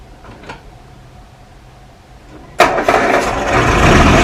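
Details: 1937 Morris 8, 918cc pre-war engine being recommissioned, recharged battery, on choke after plugs oiled by diesel: quiet turning over, then catches at about 2.5 seconds into a steady brisk run; oil pressure about 75 psi, slightly smoky; engine starting.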